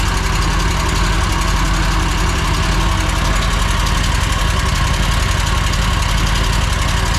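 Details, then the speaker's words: Mower V-twin; lost power and made a racket while mowing. Loud, rough idle with a fast sewing-machine tick; stethoscope isolates the noisier cylinder. Excessive valve lash. "that's not a good noise sounds sounds like a sewing machine definitely sounds like a Val ISU already"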